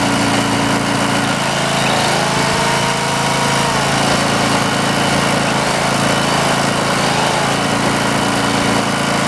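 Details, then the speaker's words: Cheap auction Greenlee 5000-watt generator, missing its air cleaner, running a plugged-in drill; a steady, even drone that holds speed under load; runs well and gives more power than a smaller unit. "well it's hard to argue with them results run both not even notice it won't so yeah pretty happy with that definitely puts off more power than that other one"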